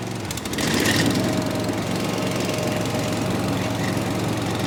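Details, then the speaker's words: Gravely ZT HD 52-inch mower, Kawasaki FR691V 23 hp V-twin, after head gasket replacement, full throttle with choke on: engine picks up into a strong, steady roar, no knocks or misses, burning off a little oil; normal running. "Oh, buddy, listen to that sucker roar. You hear she's running real good. Just burn off a little oil."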